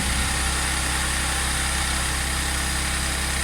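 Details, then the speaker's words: Audi S4 3.0T supercharged V6, just after repairing jumped bank 2 timing (codes P0016/P0018): steady, even high idle on first start-up with a smooth whir, no chain ticking or rattle; engine sounds healthy. "so sounds sounds good just wait for it to kick off the high idle and see what it sounds like on low idle"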